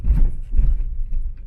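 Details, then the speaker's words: 2011 Scion tC after shock replacement, driven over railroad tracks with A/C and fans off: only dull thumps as wheels cross, no rattle or clunk after; previous rattle fixed, suspension quiet and tight, rides wonderfully. "No rattles. That's awesome. So that was my issue. And so that was my issue. This thing rides wonderful now."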